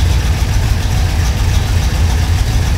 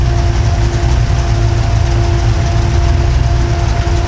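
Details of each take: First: V8 with FiTech EFI idling with a cylinder misfire: uneven, lumpy beat with a stumble. The air-fuel ratio swings from the 14.5 target up to 15.3 while the engine actually runs rich, billowing black smoke. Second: V8 with FiTech EFI after correcting the arcing plug wire misfire: deep, steady rumble with an even beat and no stumble, all cylinders firing. It initially runs rich as the computer pulls fuel back out toward the correct air-fuel ratio.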